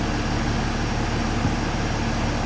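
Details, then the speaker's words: Mercedes ML350 salvage rebuild, alternator charging 15 volts, airbag malfunction light on (owner suspects seat buckle): smooth, even idle with a steady low hum and no knocks, ticks or misses. Normal idle. "i'm so happy with how this is he's running it sounds well sounds sweet as a note honestly"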